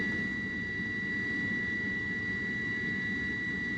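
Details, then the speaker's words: Rooftop HVAC unit on a no-heat call, with cold air blowing from the exhaust: the draft inducer motor, with sealed bearings and no oil ports, runs with a steady high whine over a low rumble, indicating bad bearings; the inducer needs replacing. "But that definitely doesn't sound good. That sounds like bad bearings on that inducer."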